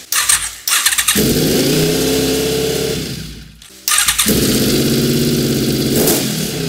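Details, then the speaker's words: Honda VFR750 V4 with carburetors just reinstalled and fuel screws at stock setting: it settles into a fast, busy idle that won't come down. High idle. "there is something going on here i cannot figure out what it is i cannot get the idle down anymore"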